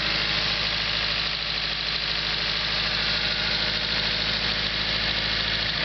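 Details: SR20DET engine from a 1998 Nissan S14 at idle, after the valve cover hose came off unnoticed during 30–40 minutes of hard driving; light quick tick about three per second, owner suspects lifter tick, unconfirmed.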